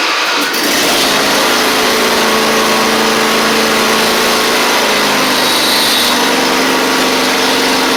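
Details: Husqvarna YTH24V48 riding mower, Briggs V-twin, after replacing the oil seal, sump gasket and blades, with choke and throttle cables refitted: a steady, even drone with constant pitch and no knocks or misses, so the engine runs smoothly.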